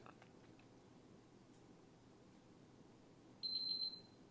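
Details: PS5 Slim previously dead with no power, after repairing a shorted capacitor that stopped a DC-DC converter's 2 V supply; quiet room, then one short clean high-pitched beep about half a second: powering up normally.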